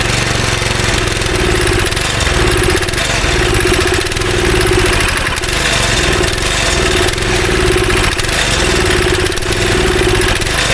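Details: Go-kart engine unused about 3 years, on choke with carb cleaner, held wide open: fires and runs unevenly, stumbling and surging with no steady beat; bad gas trapped in a tank pocket draining missed, smells and runs awful.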